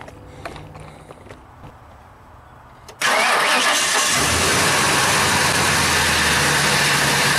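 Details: 1997 Ford Expedition started right after replacing the worn serpentine belt, microphone close to the engine: quiet, then catches at once and settles to a smooth steady idle with no squeal or chirp; sounds better, repair done.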